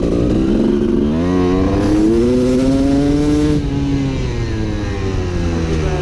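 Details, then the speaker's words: Honda CR250 two-stroke supermoto with a Mikuni carb, riding: revs climb, then the note breaks up and dives out with no power up top, while off-idle is fine. Owner suspects the main jet is too large. Rich main jet sputter under load. "all right now I'm gonna run the bike so you guys can hear it when I'm riding and I think it's even more noticeable the sputtering out and lack of power"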